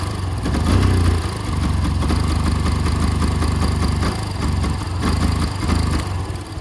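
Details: 2011 Yamaha FZ-16 cold start after about 7 months unused, fitted with a 150 carburettor due to misfiring; low idle that wavers and hunts instead of holding steady; rough idle.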